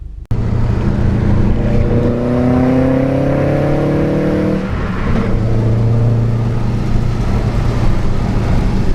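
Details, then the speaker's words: Subaru with turbo on a test drive after replacing the failed cylinder 3 ignition coil (P0303) and adding oil: engine pulls smoothly under boost, note rising evenly with no stumble or popping; misfire fixed. "sounds good to me sounds real good to me sounds really good"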